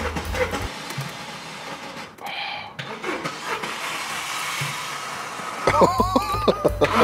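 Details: Mercedes-Benz Daily diesel: starter cranks in short rhythmic bursts with pauses but engine never catches; long cranking even after short drives, starter doubted as cause, cause unconfirmed.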